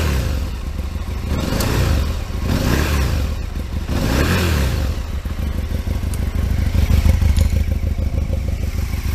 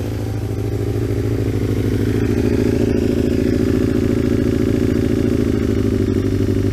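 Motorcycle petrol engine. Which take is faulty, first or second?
second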